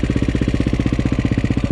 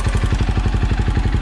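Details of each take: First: Cold KTM 530 EXC-R single started on choke in December: fast even thumping with light chain rattle each beat, cam chain slap from the hydraulic tensioner lacking oil pressure when cold oil is thick. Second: 2008 KTM 530 EXC-R dual sport at idle after installing Dirt Tricks manual cam chain tensioner: steady even thump with no ticking, clicking or cam chain slap; engine healthy.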